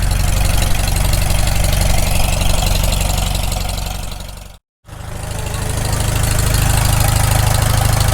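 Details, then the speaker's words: Farmall Super M tractor just after rebuild, first run, warming up: steady low even idle thump with a short break midway, no knocks or misfires; normal idle. "well we're just going to let this run out here for a bit we want to get plenty of heat put in it"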